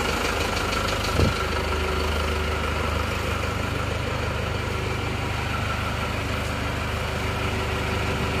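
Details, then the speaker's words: Non-Euro Isuzu Panther diesel, cold after engine overhaul, idles with steady, even clatter, no knocks or hunting; fine, though the Euro 2 engine sounds smoother owing to its double-damped timing gear. "Saya rasa yang eururo 2 itu itu lebih halus suaranya perbedaannya hanya di berada di gigi timingnya saja karena di Euro 2 gigi timingnya itu peredamnya ada dua jadi dobel"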